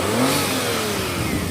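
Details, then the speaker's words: Daihatsu Naked Turbo 4WD automatic kei car after a jump start, low on gas, throttle held so it won't die: revs waver and sag rather than settling; struggling idle, owner thinks battery is badly depleted. "Um but yeah, so you can hear the engine running again. And I think the battery is super depleted."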